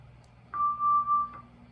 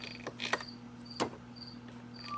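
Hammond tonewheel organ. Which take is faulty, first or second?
first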